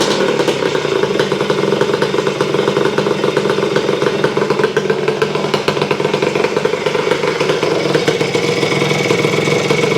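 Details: Honda CR250M Elsinore two-stroke idling just after its first start in years of storage, following kickstarter repair, a different spark plug and refilling the carburetor, cold ~30° morning in the shop; rapid, even popping with a light rattle, holding steady.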